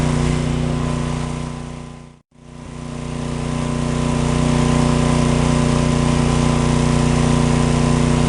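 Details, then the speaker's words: John Deere/Briggs & Stratton 4000-4400 W generator, after magneto coil repair restored spark: loud steady drone at even speed after a brief cut, no misfire; running fine, GFCI receptacle still to be replaced. "noisy but we got her working"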